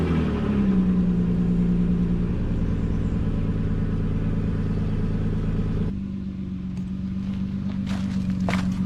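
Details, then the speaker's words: 2009 Nissan Murano after stick-welding a snapped, rusted exhaust pipe with rotted flange bolts: brief rev, then steady, fairly muted idle without loud puffing or rasp; exhaust leak mostly sealed, not fully fixed. "So, fire it up and should be quite a bit quieter than it was to begin with."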